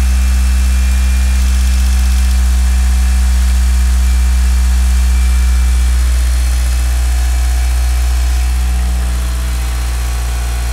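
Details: Mitsubishi Galant VR-4 first start after engine overhaul: smooth, even idle with a steady low hum and no lifter tick from the top end; lifters quiet, perhaps after six weeks soaking in diesel.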